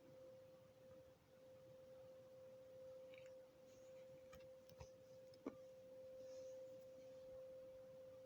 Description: I think the noise is coming over from Morriston it sounds industrial.